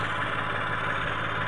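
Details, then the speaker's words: Mitsubishi Mirage automatic, finally running after a cranking-but-won't-start problem (no fuel at pump, new spark plugs, battery negative terminal reconnected): steady, even idle hum with no knocks, misses or squeals; normal idle. "so ayun sa wakas umandar na Yan. So observe lang muna tayo."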